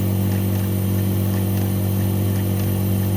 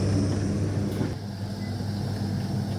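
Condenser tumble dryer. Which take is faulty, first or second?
first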